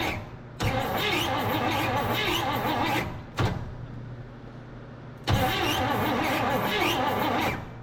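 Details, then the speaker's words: 1958 Chevrolet Bel Air off the road since 1993, coil powered, cranking: starter spins the engine in two even bursts about three beats a second but it never catches; cranks but no start, no spark from closed ignition points. "Nothing. Those points closed. There we go. That's for sure closed."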